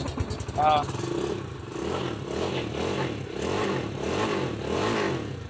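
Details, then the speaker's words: Rusi 250cc motorcycle that died on the road and would not start, fuel problem found and tank refitted, battery jumped; starts and settles into a steady even idle with a soft rhythmic pulse, no misses. "So all good na po yung ating motor so aandar naman to"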